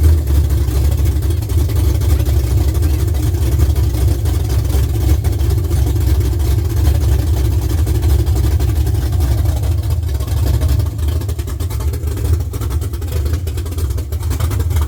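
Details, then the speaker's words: LS-swapped C10 sitting 3 years, wired with a Holley Terminator X and fuel pressure set to about 45 psi, at its first start: deep, steady V8 rumble with an even beat, revved, no knocks or misses. Normal running after first start. "All right, gang. That was the first start. We need to That was great."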